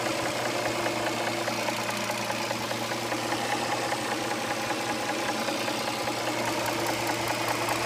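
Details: 2007 Dodge Charger 3.5 V6 at idle with correct oil level: steady light ticking knock about two or three a second; owner suspects lifters or rocker arms, cause unknown.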